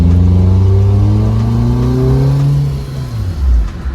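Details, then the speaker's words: Mazda MX-5 Miata after an exhaust upgrade, pulling away from a stop while turning, not full throttle. Deep, Subaru-like growl rising smoothly in pitch, then easing off; the exhaust sounds healthy. "I can't really like step on it, but it almost sounds like a Subaru a little bit in the growl. But it sounds great. I actually like it."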